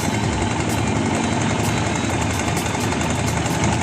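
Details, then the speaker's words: Barako 2 single-cylinder motorcycle idling with a busy metallic rattle and light ticking from the cam chain tensioner; noise disappears when revved; repaired by replacing the tensioner after setting timing. "Ayan yung andar niya. So yung tunog na yan, tensioner no? Magpapalit tayo ng tensioner no."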